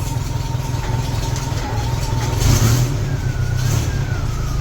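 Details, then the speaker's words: MGB, first start after rewiring the ignition: engine catches and settles into a steady low running note with a brief rev midway; owner remarks it sounds weird; normal running. "Oh, hey, it's here. That's why it sounds so weird. Yes! It runs, baby."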